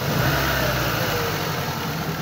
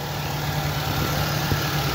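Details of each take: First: 2007 Ford Focus that intermittently lost power: uneven, lumpy low throb at idle with engine vibration, one dead cylinder traced to a loose, fragile fuel injector connector. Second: 2007 Ford Focus petrol engine, formerly misfiring on one cylinder and losing power from a broken injector, idles with a steady even low hum and no stumble after injector replacement.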